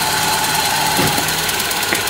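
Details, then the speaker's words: Toyota Soluna petrol engine running rough (brebet) and limping when revved; spark plug cables suspected. Engine misfire at idle with uneven stumbles; cables later tested one by one and replaced. "ini kita bisa ee dengarkan untuk mesinnya ini e pincang ya ini ketika kita gas Dia ee kerasa ngebreerebet gitu"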